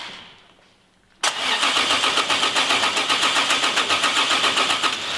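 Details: Toyota Supra MK4 2JZ being cranked on the starter to compare compression on each cylinder: an even pace of about four beats a second, with equally strong compression strokes. The same session later concludes the engine more or less has engine damage.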